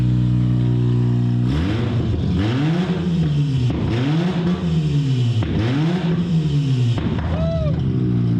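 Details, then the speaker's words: 2005 Mazda RX-8 1.3L rotary with catalytic converters stolen, just started: repeated quick revs with a harsh, very loud, raspy exhaust; loud exhaust from missing converters. "I'm not sure if you can hear me because I'm going deaf, but this thing is loud."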